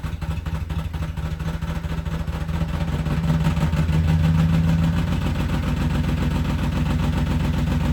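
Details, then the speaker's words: BMW E34 530 with a failing clutch, started after it began sounding horrendous on the way to work: engine catches and idles with a loud, uneven pulsing about four times a second; abnormal idle noise, cause unconfirmed. "Okay, so the mirror's back in, and now you're about to hear how bad this shit sounds when I start this, because that's... I'm so hurt."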